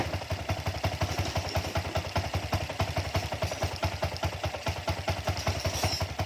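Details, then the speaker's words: Honda Wave 100 dirt-bike conversion with a shop-bought carburettor, only the jet changed: small single idles with quick, slightly lumpy thumps about eight per second; air screw closed too far, mixture too rich, stumbles after heavy revving. "น้ำมันมันหนาพอช่วงเราเร่งเยอะนะครับผมเร่งเยอะแล้วผ่อนลงปุ๊บน้ำมันหนาอ่าจุดระเบิดไม่สะดวกนะ"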